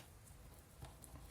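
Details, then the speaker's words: Late-1960s Toshiba 8M 390 AM radio bought as junk: faint, irregular light taps and clicks as the set is moved, from the loose antenna flopping about inside the case. "Alright, well, actually curiosity got the better of me here, so I think you can hear something rattling around in there. I'm not sure that something's supposed to be rattling around in there."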